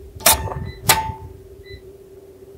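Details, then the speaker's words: Square D QO breaker on a roughly 120 V DC solar panel string, deliberately wired backwards with a couple of panels switched off: two sharp snapping cracks as the breaker trips open on the dead short, then a faint hum and beeps from the unhappy inverter. "Now I'm going to turn this one on. It's going to short out. Let's see if it trips."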